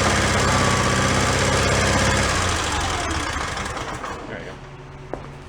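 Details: John Deere 318 garden tractor, donated after losing power and dying: single-cylinder engine thumps steadily at about three beats a second, then winds down smoothly when switched off, no misses; running normally.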